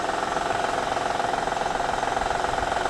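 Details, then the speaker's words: Honda/Acura V6, over 100k miles, cold idle: rapid even diesel-like tapping knock that sounds like cam or crank, from worn timing belt tensioner; noise fades or lowers when warm, pitch rises with throttle. "if your honda sounds like this i have the solution for you it sounds like cam it sounds like cranks and uh crankshaft sounds like diesel"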